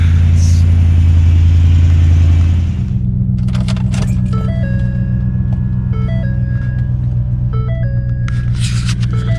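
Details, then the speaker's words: 2014 Ford Raptor that cranked but would not start with no check-engine light, after replacing fuel pump fuse 27: deep, even idle rumble holding steady with no misses or knocks; running normally. "okay guys well she looks like she's purring like she normally is"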